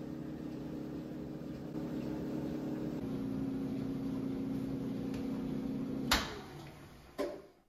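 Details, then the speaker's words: GE dryer after motor start circuit repair using wiring diagram: drum keeps running after start switch released, even low motor hum, no knocking or scraping, couple of thumps near end; runs fine. "yeah the drum is running even I release the start switch"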